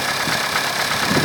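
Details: 1992 Opel Astra F, C18NZ engine, 265,000 km indicated, automatic, cold start before hydraulic lifter replacement: steady idle with light, fast ticking from noisy hydraulic lifters.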